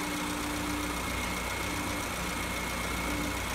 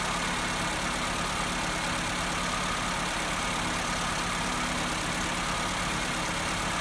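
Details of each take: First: Petrol car idling with a steady, even hum and no knocks or surging, at normal idle of about 875–900 rpm after adjusting the electronic idle valve screw that had loosened and raised the idle speed. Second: Petrol engine with an electronic idle valve, no fault codes and no vacuum leaks, idles steadily but too high because the idle valve adjustment screw loosened from vibration; fixed by turning it with a Phillips screwdriver.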